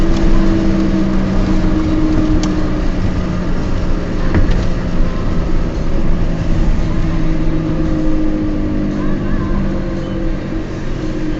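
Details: Peugeot 206 while driving: a steady low droning hum over road and engine noise that shifts slightly in pitch with speed. The owner attributes it to bad wheel bearings, not confirmed.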